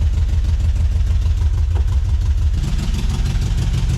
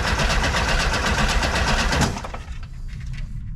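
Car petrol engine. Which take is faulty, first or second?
second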